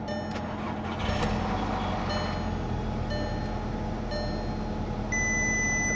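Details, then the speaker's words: Salvage automatic car with 127,000 miles: over the running engine a chime repeats about once a second, then holds steady, as dash warnings show TPMS, brakes, coolant, airbag and door open; radiator or hose damage suspected. "Uh-oh, what's that sound? What's that sound? Light? TPMS, whatever that green thing is. Service now, error, brakes. Check coolant."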